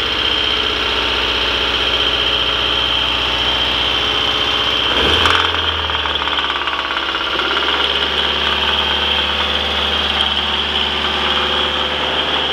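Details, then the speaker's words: Rebuilt turbocharged Mazdaspeed Protege engine swapped into a Protege 5, running after rebuild: harsh metallic rattle swells as soon as throttle opens; valvetrain suspected, number one cylinder unplugged to check rod knock, cause unknown. "so I did here I don't know if you could hear that noise but as soon as I increase the throttle I heard this horrible rattling"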